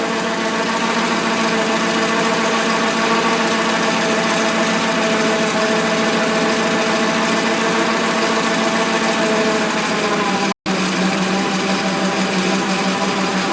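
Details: Ford Model T, first start after 40+ years, two-speed transmission tested: slow steady four-cylinder idle with light mechanical patter and even beat, being idled down further; engine runs smoothly.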